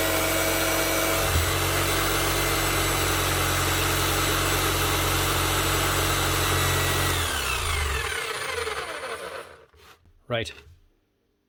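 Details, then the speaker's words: Power tool motor test after replacing tacho, original brushes kept: steady very fast high whine with no pitch change, then spin-down, slight sparking from the speed; speed control not regulating, suspected controller problem; stuck at full speed. "is a little bit of a spark out of that but it's because it's actually running so fast we Taco has been replaced but still speed control is not working so there's a controller problem as well"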